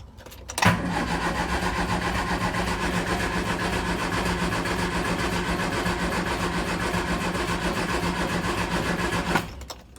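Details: Triumph Spitfire MK3 being restored: starter churns steadily at nearly four turns a second for about nine seconds with no catch; cranks but won't start, owner suspects it needs more fuel.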